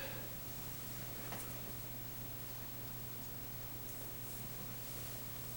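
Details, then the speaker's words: Restored Zenith 7S529 tube radio powered up on the broadcast band with an external vertical antenna about 50 ft tall: a soft, even hiss over a faint steady low hum, no crackle or popping. The radio seems to be working well. "Radio sounds like it's working pretty good."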